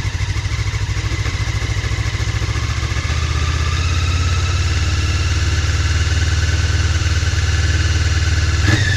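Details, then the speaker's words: Honda CB 500 (499cc), first start after six months' winter storage at about 10°C, full choke, freshly charged battery: steady even low throb with slightly raised choke idle smoothing as it warms; runs pretty well, normal cold idle. "I guess we need to build more of choke a little I'll use full choke against the winter did it"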